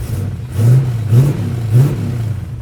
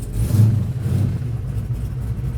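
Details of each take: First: LS-swapped Camaro, 400+ hp, just revived after sitting, oil pressure up to 40, warming up: deep steady V8 rumble with three quick clean throttle blips; sounds healthy. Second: LS-swapped Camaro, long sitting and dusty, cold start with oil pressure reaching 40: a deep, uneven rumble surges and sags in the first second, then settles. The cold V8 struggles to hold idle before warming.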